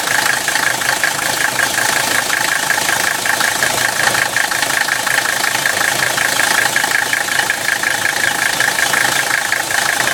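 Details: 1985 Mercedes-Benz 300CD turbodiesel: harsh, gritty grinding with a faint whistle on top, loudest around 1,500 rpm and hard to hear above that; cause unknown, owner asking for a diagnosis.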